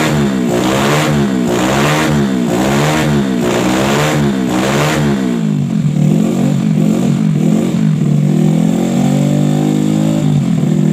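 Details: Bored-up Yamaha Jupiter Z with a PE 26 carburetor that previously stumbled under throttle like fuel starvation, after a carb passage was enlarged: repeated clean throttle blips, revs rising and falling smoothly. Normal revving.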